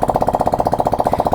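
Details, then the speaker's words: Yamaha NMAX V2 scooter, stock engine, after overheating and a noisy knock, rebuilt with genuine stock parts and cleaned head: starts first try; sharp, rapid popping about thirteen beats per second at idle, loud because the exhaust pipe is not yet fitted. "So bale yan kung maririnig niyo sobrang ingay nung sa may exhaust gawa ng wala pa yung pipe."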